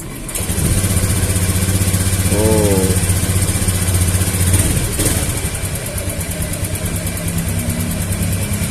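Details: Honda Beat FI scooter with new injector, fuel pump pressure regulator checked; catches straight away, even steady idle with no stumbling; clean healthy idle.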